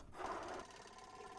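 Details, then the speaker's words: 1977 AMC Matador coupe, draining contaminated tank: small electric pump powered from a battery charger gives a faint even buzzing whir with steady good flow; pump running normally. "All right, just got the little pump going. Put the battery charger on there. Something pretty steady here, but Pretty good flow there."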